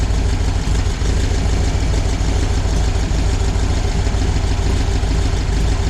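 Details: VW air-cooled flat-four 1968cc motor in a bus, idling after generator brushes checked and generator polarized; generator light off, 12.6 V rising to 14 V on revs: smooth, even idle, no skips or rattles; normal idle, charging fixed.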